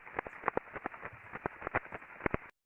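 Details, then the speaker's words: Airborne ultrasound of a combining roll conveyor bearing: uneven clip-clop repetitive impacts over a hiss, with a large crest factor rise; on teardown the cage was very loose and several rolling elements were damaged; bearing replaced. "yeah it's like a clippy kop but uh repetitive impacting going on so once they actually took this apart um there was a lot of looseness in the cage and there was some definite damage on on a number of the Rolling elements"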